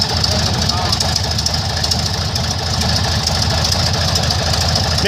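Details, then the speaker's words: Airboat at first fire after sitting, warming up: uneven, lumpy idle about two beats a second with stumbles and hiss, rough running. Carburetor bottom leaking; owner suspects a dirty bowl or a carb needing rebuild. "alright guys well I might have a little I might have a little carb issue I don't know"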